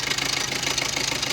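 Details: Maruti Suzuki Swift diesel engine at idle: fast, even metallic rattle riding high over the engine from a noisy timing chain.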